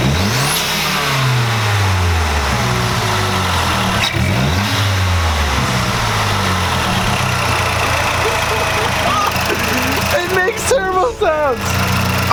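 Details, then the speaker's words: Mazdaspeed3 with a new 3.5-inch intake and Corksport intercooler, warming up with repeated free revs in neutral. Pitch sweeps up and falls back cleanly, with a sharp stock bypass valve release at the top; healthy. "so getting warmed up I'm gonna give it some reps you guys just hear how the intake sounds now"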